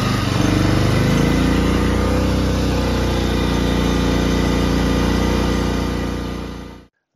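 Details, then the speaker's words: Harbor Freight Predator 3500 inverter generator after inverter module replacement and carburetor clean: steady small single-cylinder drone, slight rise as load changes during voltage testing, then shutoff; running normally. "but I'm going leave you guys with the last clip which is the general running and me testing for voltage and doing some load"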